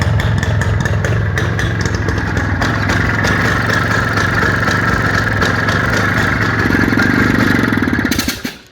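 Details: IZh Planeta 5 motorcycle with a key-operated dynastarter, engine revved for a sale. Smooth two-stroke buzz climbs with the throttle, then cuts off cleanly, firing even with no misses or knocks; the seller says the engine makes no bad noises.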